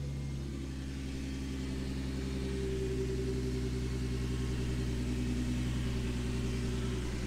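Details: Engine with a 3-inch intake after fitting an EPS PCV delete kit: steady, even low rumble at idle with no hissing or crankcase vacuum sucking; idles smoothly and healthy.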